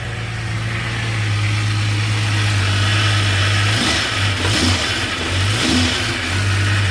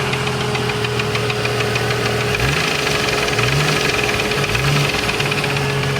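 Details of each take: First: 1989 Jeep Cherokee XJ Renix 4.6L I6 stroker, first start after replacing one piston for piston slap (knocking began after 700 miles): smooth, steady idle with a few quick throttle blips, no knocking or slapping. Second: 1989 Jeep Cherokee XJ 4.6L stroker I6 (4.0L based, aftermarket pistons), knocking after 700 miles with temperatures running high: hard regular knock tracking the revs, piston slap.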